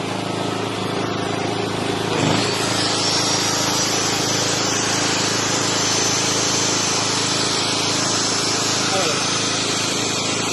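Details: Hawk 3kW portable petrol generator on pure petrol, battery-started with choke on and then switched off, output turned on: a steady, even engine drone with one brief bump near two seconds; it runs smoothly and healthy.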